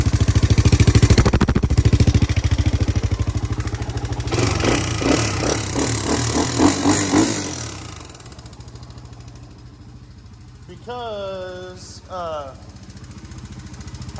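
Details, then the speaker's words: Rebuilt Honda 350X three-wheeler single-cylinder with new Wiseco piston and header pipe: revs then settles to idle with a light regular tick following engine speed, persisting after a first adjustment; suspected valve-related, needs valve adjustment. "still just hear the ticking and it isn't this because i'm feeling it it was this before you hear that now it's either it's definitely valve related it needs a valve adjustment"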